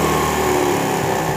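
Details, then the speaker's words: Honda CD70 single-cylinder motorcycle just after carburettor fitting: fast, steady buzz without hunting; idle speed too high, to be turned down by carburettor idle adjustment. "जी तो दोस्तों यह जब motor bike का carburettor fit किया जाता है तो accelerator जो है उसकी हाई होती है हम इसकी पहले आरपीएम स्लो करेंगे"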